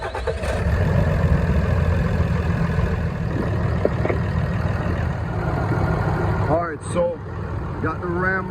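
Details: 2012 Ram 3500 with the 6.7L Cummins diesel, just started after replacing a failing alternator: steady, even diesel rumble at idle with no knocks, misses or hunting. Normal idle, with charging expected near 14 V.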